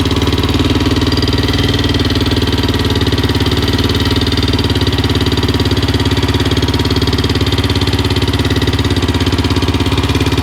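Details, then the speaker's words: Suzuki LTZ 400 ATV (2004/2005) single-cylinder after failed valve guide replacement by another shop, timing chain tightened, idling: fast even ticking about three or four per second over lumpy idle; valve train chatter, shims suspected, loud at exhaust side. "that's pretty far in the chain does sound pretty good but foreign chatter so I may take the tank back off and uh go back in and check the shims out one more time"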